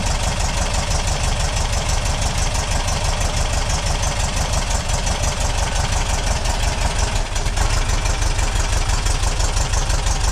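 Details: Refreshed 2-litre VW flat-four on a test rig, first start, still cold: steady even idle with regular low beat, no knocks or misses; timing being checked, sounds like a good runner.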